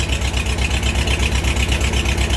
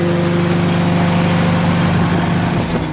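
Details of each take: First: Farmall H tractor after tune-up with new plugs, wires, points, condenser, rotor and cap, Seafoam in fuel: uneven, lumpy idle with steady low thump that stumbles; a cylinder missing from a closed spark plug gap, runs beautifully once regapped. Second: Farmall H tractor engine with new cap and new plugs gapped at .025 in; steady low idle, regular beat about three and a half per second, no misses; sounds nothing like before, solved for now, full tune-up still planned.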